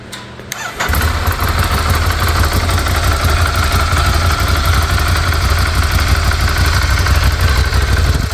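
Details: 2016 Ducati Scrambler from total-loss auction, recovered theft, revived with new battery and freed ignition lock cylinder: silence, then it catches straight away and settles into steady, even low idle with no misses or knocks; healthy start.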